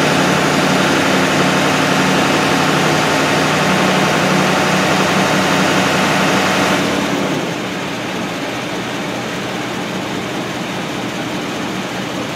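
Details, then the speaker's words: 2012 Ford F-250 6.7L Powerstroke diesel, in for a check engine light and only 10 psi boost, during a key-on engine-running test: steady idle with a loud rushing roar that drops away after about seven seconds as the cooling fan engages and releases. "now you can hear the fan come on so we're checking the"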